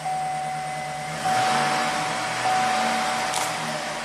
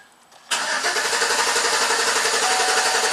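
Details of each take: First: 2011 Chevy Silverado 5.3 V8 after repair of intermittent stall/no-start (P025A fuel pump control module enable circuit) and codes cleared: chime, short crank, quick catch, smooth steady idle. Normal start and idle. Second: 2011 Chevy Silverado 5.3 V8 with an intermittent stall and no-start and code P025A (fuel pump control module enable circuit), after it died again: steady cranking at about four turns a second that never catches; crank no start.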